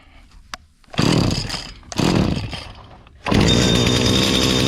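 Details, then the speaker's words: Stihl FS80/FS85 trimmer after top-end rebuild with new 34mm cylinder and piston, already tinkered with, started on choke and primed: two short bursts then catches, holding a steady high two-stroke buzz without stumbling; runs clean. "I already been tinkering with it a little bit, so I think I got it dialed in just right."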